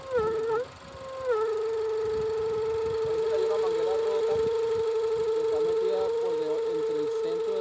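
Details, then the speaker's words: Range Rover with check engine light, in for a vacuum-leak-like noise: a steady high whistling howl over the running engine, loudest mid intake manifold (not belt or vacuum pump), traced to a collapsed PCV hose into the intake manifold. "aquí llegó un cliente con una con una camioneta r Rover atrás con el checken gin y un ruido Como si tuviese una fuga de vacío"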